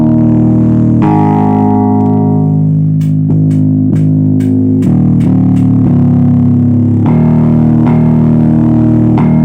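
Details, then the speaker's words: MXR Bass Octaver effect pedal after repair, electrolytic capacitors replaced (fault had been strange noise, octave sometimes not working): bass notes ring cleanly with full low octave doubling, no crackle or odd noise; normal operation. "Nah, sudah oke ya. Tuh. Eh, sudah sip ya. Jadi masa di mana ya tentunya ini ya seperti biasa ya ganti-ganti elko-elkonya ya seperti itu."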